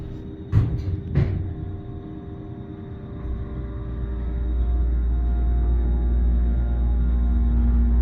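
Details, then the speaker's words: Noble hydraulic elevator with GAL JetPlus VR fixture, inside the cab after the chime: thin steady alarm-like whine over the low hum, apparently from the cab fan, cause unknown. "Sounds like the fan's like making like this weird. Sounds like a door alarm."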